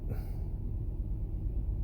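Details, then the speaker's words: 2008 Toyota Sienna 3.5L 2GR-FE V6 idling rough and vibrating excessively: deep, lumpy idle with uneven pulse; misfire from failed ignition coil B (code P0352, cylinder 2). "This engine is running rough. It is vibrating excessively."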